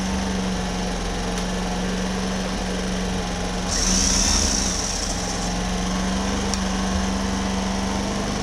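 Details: Homelite HG600 generator with Yamaha single-cylinder engine, after fuel pump clean and new fuel pump gasket set, choke on warm-up: smooth, even buzz at constant speed, no misses or surging; running properly.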